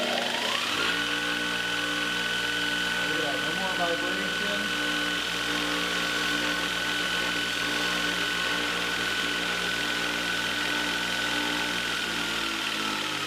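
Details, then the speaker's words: Multitool 4x48 belt grinder (1 hp, 120 V, replacement motor): a steady even motor hum with light belt hiss. It is running smoothly, though the belt still needs moving slightly off the side. "I'd like to move the belt over away from the side a little bit but it's actually not bad at all"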